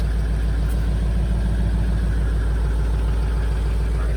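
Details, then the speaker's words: 2004 Ford F350 6.0 Powerstroke diesel work truck, all stock with stock exhaust, about 311,000 miles, started after sitting two weeks: deep, steady idle rumble with even firing, no knocks, stumbles or smoke; a healthy diesel idle. "But look at this. There's no smoke coming out of this thing. Fire right up, not smoke at all. This is freaking incredible."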